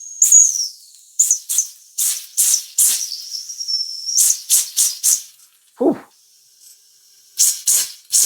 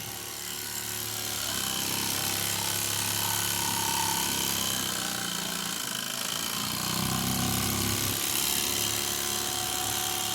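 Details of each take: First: Mamod model steam roller, not run in decades, first firing after a clean and oil: after the whistle is knocked, a thin high whistle keeps sounding between sharp hissing steam puffs; the whistle valve is stuck open. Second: Old Mamod toy steam roller, not run in decades, cleaned, oiled and new belts fitted, running on steam: quick even chuffing about four beats a second under steady hiss; runs very well, a bit fast.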